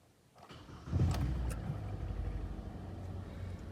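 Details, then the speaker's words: Kia Sportage QL G4NA engine, 97,000 km, after block bored 0.5 mm for a heavy knock that appeared in winter: first start after rebuild, settles into a quiet, smooth, even idle with no knocking and no errors. Normal idle. "работает ровно никаких ошибок ничего нет"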